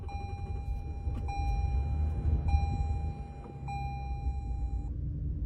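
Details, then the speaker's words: Toyota truck, likely a Tundra: check engine light and reduce engine power warnings with a repeating chime; heavy, rough, uneven pulsing rumble, severe shaking, and the engine then shut off. "Turned on. But check your engine. And then it's shaking. Reduce engine power. It's shaking like crap."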